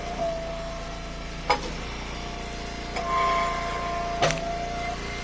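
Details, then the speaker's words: Eastonmade Ultra firewood splitter running: thin steady squeal over the running noise with a few knocks, from a dry pivot that needs grease. "That's squeaking. Put some grease on there. Where it makes all the noise at. That should help with that."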